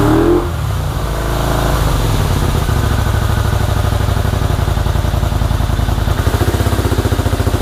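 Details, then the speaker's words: 1984 Honda VT250 V-twin project bike, first start with fuel dribbled into the carb: catches and runs poorly with an uneven, lumpy, loping idle; owner suspects the choke is stuck on and plans to inspect the carbs. "all right well the bike runs not very well um albeit but it does run i believe the choke is stuck in the um on position"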